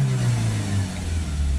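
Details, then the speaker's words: Citroen Relay 2.2 diesel with blocked DPF and vaporizer, P1490: after clearing the fault code, the revs now climb, deep drone steady with no stumble or cutting out. "Yes, let's clear the fault code. Now we can rev the vehicle"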